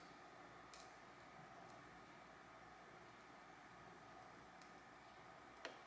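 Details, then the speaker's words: Jensen Model 25 steam engine, first firing with dry fuel heating the boiler: near-silent hiss broken by four sharp, irregular clicks in six seconds as metal expands, then first sounds of boiling; normal. "clicks as the Metal's expanding there we go starting to hear some beginnings of boiling now"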